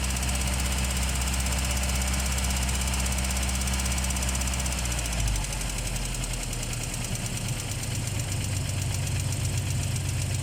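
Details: ZMZ-409 engine cold start; steady idle with uneven light tapping about 160 per minute, disappears when warm; owner suspects hydraulic lifters (lash compensators), not confirmed.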